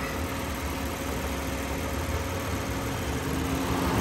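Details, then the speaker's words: 2007 Lexus at idle with its A/C recharged with 460 g of R134a. Both condenser fans run on high speed after being reconnected, as head pressure falls from about 350 psi to 221 psi. A steady, loud air rush is heard over the idle. "they're both on high speed right now because the pressure is so high 221 and in a minute once the pressure gets down both fans will drop and we won't hear them so much"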